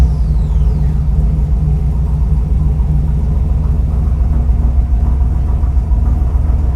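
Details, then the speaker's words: 1948 Mercury pickup, first run in 50+ years, fuel now reaching the bowls: steady, even low rumble with no knocks, misses or squeals; oil pressure good, slight hesitation on startup, mixture possibly lean, needs tuning. "So, Mercury is running and pretty good, I might add. has a little bit of hesitation on startup, but if I really give it gas, it starts up."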